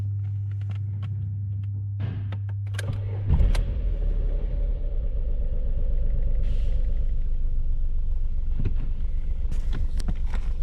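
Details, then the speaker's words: Skoda Rapid 1.2 TSI petrol engine right after a timing chain kit replacement, the first chain change at its original mileage: fires in about three seconds and settles into a steady, even low idle with no chain rattle. "engine is working good all right now there are no more noises coming from the timing chain"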